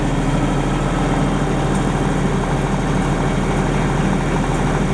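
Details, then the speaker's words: 30+ year old Denyo DCA-15SS-N genset, 1.6 three-cylinder Nissan diesel (18 PS at 1500 rpm), warming up with no load after years unused: steady, even drone at constant speed with no misses, knocks or surging; running normally. "okay friends that's all I guess it's running perfectly that's a really really real reliable little machine we have this thing since the mid-80s and it never lets us dow"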